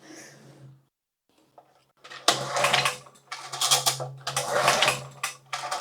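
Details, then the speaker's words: Used 2000-watt generator, fuel on, switch on, fresh oil: repeated recoil pulls with no catch or firing; no start, carburetor at fault. "Nope. Okay, we have nothing, which is totally fine."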